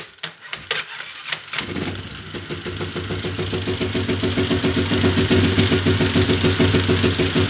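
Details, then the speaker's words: Big Bear ATV after top-end rebuild, timing chain and valve adjustment, first start with fuel in the carburetor; a few cranking bursts, then catches and settles into a steady even idle; no smoke, healthy start. "no smoke so that's a good sign no smoke"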